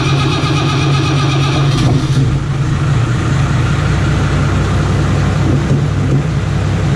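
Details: Modern 6-cylinder Iveco turbo diesel fitted in a 1942 M3 Stuart tank, first test firing with no exhaust pipe yet: brief crank, then a loud, deep, steady run. All seems to work, a normal start.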